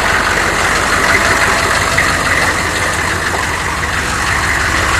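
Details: 1993 Chevy dually 6.5L turbo diesel 4x4, smoky cold start without the block heater, then revved: loud, rough clattering idle with a loose, uneven knock; some kind of engine knock, cause unclear.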